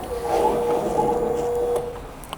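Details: 2022 Honda CBR650R, 3,000 on the clock, sat over a year, after refitting ECU with a different-coded lock set, fuel tank and battery: a steady mid-pitched electric hum for under two seconds at key-on, then stops; fuel pump priming normally.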